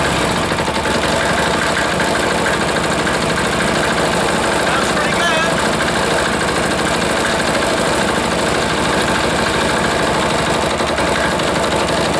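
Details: Freshly reassembled air-cooled single-cylinder diesel, first start after priming: the beat surges and sags instead of holding a steady idle; it kicks, and the idle adjustment is off a hair.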